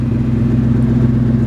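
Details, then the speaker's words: 1995 Lincoln Town Car, 153,000 miles, with radio off, gives a low, lumpy idle with an uneven beat and puffing exhaust note. Misfire plus exhaust leak; new plugs and wires are planned. "So, you can hear right off the bat that exhaust leak and then the misfire. So, plugs and wires for sure."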